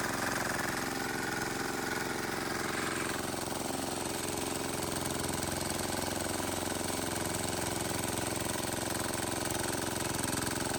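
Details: Wheel Horse 314H tractor with a swapped cheap Chinese diesel on its first test drive: steady, even chug at about three beats a second throughout. Running healthy.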